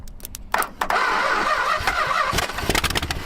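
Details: 1961 Chrysler in a junkyard with a scavenged engine and Stromberg carburetor, no exhaust and loose manifolds: uneven cranking chatter with ragged sputtering as it struggles to catch; once running, it seemed to fire on about six cylinders.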